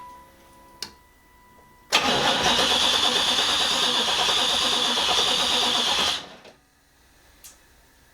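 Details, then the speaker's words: Project Z28 first start attempt, exhaust only to the Y-pipe, no coolant; about four seconds of steady cranking with no firing, no spark; owner first suspected timing, later traced to an ignition coil problem. "well that's disappointing but that's par for the course probably have a timing issue sounds like"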